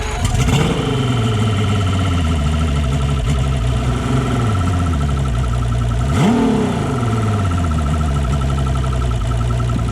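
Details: Long-sitting 2-stroke outboard with direct injection, running at 80 psi air and 90 psi fuel with an air leak present. Lumpy, uneven idle blipping up twice: misfire on cylinder 2 with near-new fuel injectors, so the air injector is suspected.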